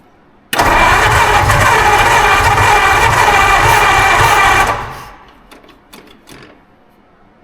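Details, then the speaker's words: 1952 Ford Crestline engine revived after years sitting in a field, with a large vacuum leak: it catches and runs rough about four seconds, then stumbles and dies; the accelerator pump isn't working and the carburetor needs its rebuild kit. "don't even know is this accelerator pump working that is a no buo that might be why there's a rebuild kit there is definitely why there's a rebuild kit"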